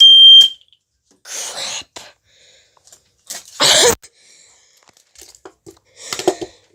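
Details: Fire alarm sounder (possibly model 151-92) on test: loud, piercing high electronic tone blaring briefly then stopping, handling clatter afterwards; sounder working and loud, before electrical tape is put over it.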